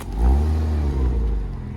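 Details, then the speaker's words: Porsche Boxster, just over 100,000 miles, unused for a couple of years, driven up and down the yard: deep, even engine drone rising and easing with throttle; earlier tapping completely gone, valvetrain sounds healthy. "it's silent the tapping's completely gone"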